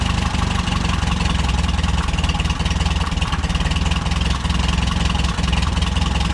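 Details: Case VAC tractor test start after a new water pump, fan and serpentine belt, for a cooling problem after a coolant change; in the garage with rain outside. Low, steady idle chug, even beat, no knocks or misses; idles normally.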